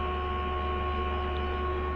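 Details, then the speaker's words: Radio that powers on but receives no medium-wave or FM stations: steady low hum with faint higher buzz, no programme audio; no station reception, hum only, before repair. "जिसकी आवाज़ आ रही है ये on होता है, लेकिन इस पर कोई चैनल नहीं आते।"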